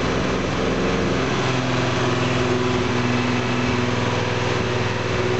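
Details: Jaguar E-type independent rear suspension on a test rig out of the body shell, engine running in first gear driving the IRS; steady even drone, no metal-to-metal grinding or knocking from diff or shafts; normal running, to be retested once refitted.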